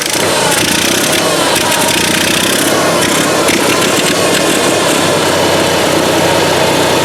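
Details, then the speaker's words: Onan Marquis 5500 RV generator in a 1998 Bounder, 20+ years old, after carburetor rebuild, air cleaner off, running on gas from a can: settles into a steady, even run with busy clatter, no misses; still not drawing tank fuel. "We got it running. Of course, it's not pulling the gas from the tank like it should, but it is running now on the gas out of that can."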